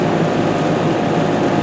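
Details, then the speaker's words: Ruud heat pump outdoor fan after replacement with upgraded mounting (bolts and fender washers) following two identical fan failures: steady even rush of air with low hum, no ticking or rubbing; running quietly and normally. "nice and quiet time will tell if it's going to work"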